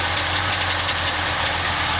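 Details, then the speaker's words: 1951 Chevrolet 3100 pickup with a 5.7 small-block V8, Edelbrock carb, automatic, straight pipes with cherry bombs: steady, even low burble with raspy exhaust hiss and no misses or knocks; healthy idle. "That's a Chevy 5.7, small block, I'm sure I said, Edelbrock Carb. Straight through pipes with cherry bombs."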